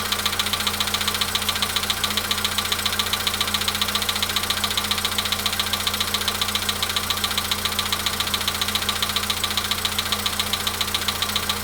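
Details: VW Polo Sedan at 93,000 km, cold start idle: steady, very even knock about two and a half per second over the idle; source not yet known; engine knock.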